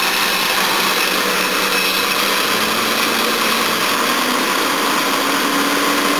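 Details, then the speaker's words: Jaguar XJ engine running on temporary rigged wiring after a quick tune, with a suspected wiring fault and possibly faulty tacho: fast light metallic rattle over a steady idle at unchanging pitch; chain noise attributed to a worn guide, timing chain rattle. "noise there got a warn guide it's running pretty good take it for a spin later and give it a proper tune"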